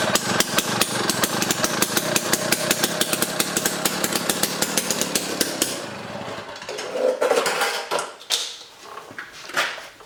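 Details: Jiffy Stealth STX 10-inch ice auger, 3 hp Tecumseh two-stroke, after cleaning and fresh 91 non-ethanol fuel, started on choke: loud crisp steady high-speed buzz, then winds down; running good.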